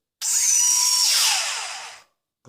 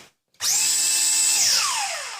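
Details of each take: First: JJRC Yizhan Tarantula X6 H16 drone, tilted vertical with throttle up: one motor starts failing and squeals, a piercing high squeal bending in pitch, unlike the smooth healthy motors; failing motor lacks power, drone drifts to that side. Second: JJRC Yizhan Tarantula X6 H16 drone, good motor tested individually by tilting the drone so only the lower motor runs: clean steady high whine spinning up and winding down smoothly, unlike the failing motor that squeaks; normal motor run.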